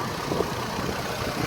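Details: Chevrolet Trailblazer/Envoy after a 4.2 engine swap, with the exhaust manifold replaced. Steady, even idle with a smooth low rumble and no knocks, misses or whine; the swap was a success. Normal idle.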